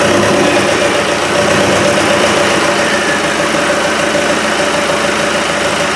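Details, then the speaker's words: Land Rover 200Tdi diesel, starting on a simple fuel test setup after cranking to bring diesel up. It settles into a steady, even clatter with no misses or odd knocks; normal diesel running. "oh we got s I'm just going to open me door it sounds promising doesn't it"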